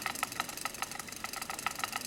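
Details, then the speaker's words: Aiwa AD-F770 cassette deck: rapid, uneven chattering clicks, about four or five a second, as the idler tire slips, grabbing traction and losing it. "It's kind of slipping, so it's grabbing, catching traction, and then it's losing it like that, you know."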